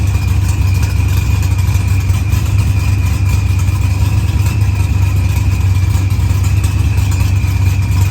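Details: Dodge Challenger with supercharged LS swap and zoomie headers, after blown head gasket and fuel pressure sensor fixed, firmware V6 220, timing 27° (target 28°), idle leaned: deep even V8 idle with steady low rumble, no knocks or misses; sounds healthy.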